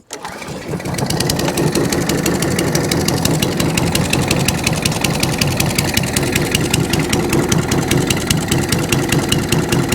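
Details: Ride-on mower after carb fuel blowout, started with choke and some revs: fires after a brief crank and settles into a steady, even beat with crisp regular firing, nothing missing or knocking; running properly, drive works though grumbly.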